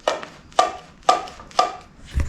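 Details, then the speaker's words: 1974 Yamaha Enduro DT100 dirt bike under restoration, air filter removed; sharp, hollow clicks about twice a second as the carburetor throttle slide snaps up and down, echoing out of the airbox; slide moves freely. "so that so that is the sound of the slide moving up and down and echoing out of the airbox here"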